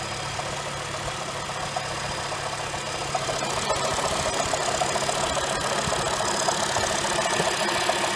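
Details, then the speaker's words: 2007 Honda Fit cold idle: light, fairly even tick-knock about three or four per second over the engine, first suspected rod knock or piston slap, traced to a worn AC compressor pulley bearing (replaced with NSK 35BD219DUM). "this is a recording of my Honda Fit starting cold than me trying to determine what's causing the noise"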